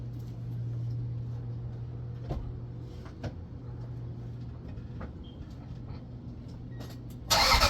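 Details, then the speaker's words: Truck exhaust after a temporary muffler patch made from an old license plate, phone at the tailpipe: low steady idle with a soft, muffled note and no rasp or leaks. Now sounds as it should. "well that makes a heck of a difference sounds more like it's supposed to with the muffler on"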